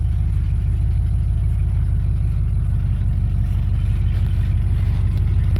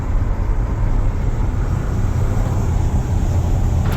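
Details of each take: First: 1995 Ford F-150 4x4 V8 revived, coolant topped off: deep, steady burble at even idle with no knocks or misses; normal idle. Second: 1995 Ford F-150 4x4 V8, warm with dash gauge normal: idles a little fast and steady, likely from a failing ECM coolant temperature sensor reading cold.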